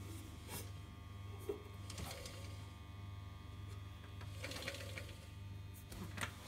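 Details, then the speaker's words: Westinghouse Mastermind LF700B washing machine in diagnostic test mode, motor test step; constant low electrical buzz with light clicks, drum won't turn even when nudged; machine wouldn't high-speed spin and gave unbalance fault; cause not yet confirmed. "So it should be trying to turn the motor here. So you can hear that buzzing. But it won't turn."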